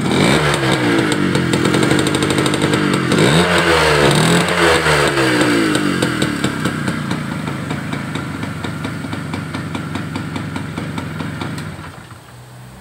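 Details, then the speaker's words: Two-stroke motorcycle started cold, which stalls and stutters after riding a few kilometres, ignition being checked: steady even ring-ding idle, no misses; cold idle is fine. "Ada bisa melihat ya stasionernya juga enak tengkleng begitu"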